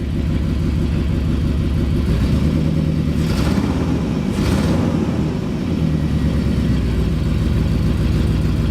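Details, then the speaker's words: 1999 Jeep Grand Cherokee 4.7L V8 that was misfiring in a cylinder, first start after replacing all spark plugs: catches and settles into a low, uneven idle with some shake; owner thinks it sounds a little better, cause not pinned down. "I don't know how to review the footage but I think it sounds a little bit better"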